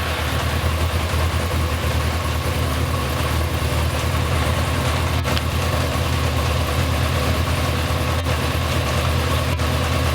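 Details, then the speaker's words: 1992 Yamaha XJ600 four-cylinder motorcycle that sat unridden since the pandemic, just after carb cleaning, before synchronization: uneven, lumpy low idle throb, no crisp beat; owner suspects carbs badly out of sync. "i suspect these carbs are just really out of sync which is why it's running like an absolute turret"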